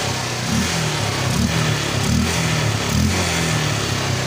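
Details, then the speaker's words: Honda Unicorn 150 BS4 after repair of a pickup problem where it would not rev properly, air filter refitted: single cylinder blipped several times, revs climb and fall cleanly and easily without stumbling or hesitation. Normal revving. "गाड़ी जो है वो दोस्तों एकदम proper race भी ले रही है। आप यहाँ पे आरपीएम देख सकते हो, ये देखिए दोस्तों एकदम इजीली जा रही है,"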